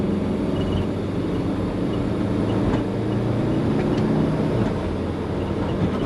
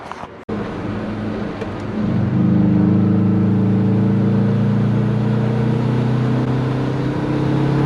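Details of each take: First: Compound twin-turbo Subaru Forester under boost while driving: steady deep rumble over road and engine noise, with compressor surge also present; owner wonders about a boost leak, cause not pinned down. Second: Compound twin-turbo Subaru Forester (GT35), warmed up after fixing a melted wastegate line and a boost leak at a fitting gap: engine note climbs smoothly and pulls hard under load, boost coming on hard, no flutter or hiss.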